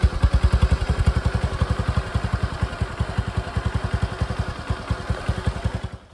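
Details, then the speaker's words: Suzuki Access scooter after silencer holes repaired and high-heat coated: engine thumps steadily at about three and a half beats a second, deep and clean with no leak hiss; normal exhaust. "So come on, let's start the bike now and let's hear the sound. And we'll compare how it was sounding before and how it is sounding now."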